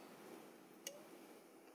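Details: Radio-controlled mains socket repair: its relay's coil supply sags to about 5 V instead of 24 V when switched on, and a light knock or vibration makes the under-powered relay drop out with one faint, sharp tick in a quiet room.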